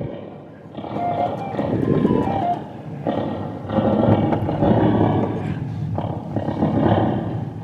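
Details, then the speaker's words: Vintage Baldwin Orga-sonic 54A tube organ with a spring reverb: a loud, uneven roar swells and fades over the output instead of a clean tone; owner suspects the reverb tank has problems, not confirmed. "This sounds like a reverb tank that's having some problems."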